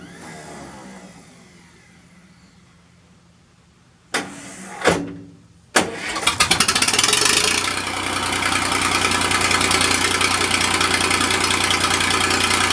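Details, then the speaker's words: Massey Ferguson 2244 tractor, fresh Perkins 3-cylinder diesel, first start in five years, cold, started by bumping the starter with a screwdriver: short cranking bursts then a steady even idle clatter; sounds healthy. Hydraulic clutches failing, separate issue. "well the old fella still doesn't sound too awful bad like i said the engine is fresh"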